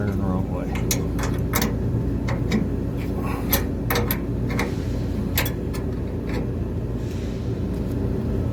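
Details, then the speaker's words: Trane Voyager HVAC unit on 460 V after idler pulley replacement and belt re-tensioning: steady low blower hum with only light belt noise, no longer screaming as before; earlier suspected motor failure was not the cause; normal blower operation. "this sounds a whole lot better now i'm not making all that racket maybe a little bit of bell noise but she's not screaming like she was before"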